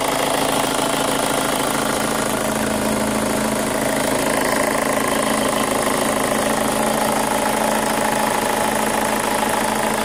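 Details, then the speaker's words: 2005 Chevy Cobalt LS 2.2L with a P0304 cylinder 4 misfire code, idling: a fast, light, regular tick of roughly four a second over a steady idle; new since purchase, and the owner suspects a noisy lifter, unconfirmed. "That's the sound I mean, and it sounds like a lifter. Because this motor never did this before when I got it."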